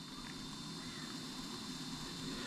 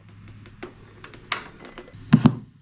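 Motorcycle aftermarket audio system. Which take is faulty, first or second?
second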